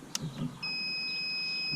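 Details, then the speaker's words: Intex saltwater pool system after replacing water-damaged GFCI plug: a couple of light clicks then one clean steady high beep about a second long, unit powering on normally after repair. "you hear that beat that means it's turned on"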